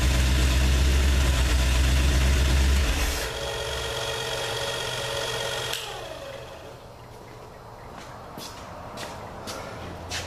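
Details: Freshly rebuilt 302 start after oil change; catches and settles into steady even idle, no rattling, knocking or smoking, smooth and healthy.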